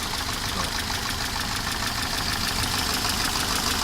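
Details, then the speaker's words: Engine knock at idle on a 1988 Mercedes 190E with the 2.0 M201 engine: dull, regular tapping about three beats a second, loudest at startup before oil pressure builds; owner suspects cam play in its bearings or hydraulic lifters, unconfirmed. "Но такой глухой такой стучок. Особенно его слышно, когда заводишь только двигатель, когда еще давление масла не пошло."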